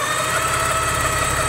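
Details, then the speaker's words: Porsche 944 on the second day of ownership, after needing a jump start from a dead battery; engine a little warmed up after a rev to check for belt noise (belt had been wet). Steady, even idle with a smooth low rumble and no knocks or misses; running pretty good. "to be running pretty good"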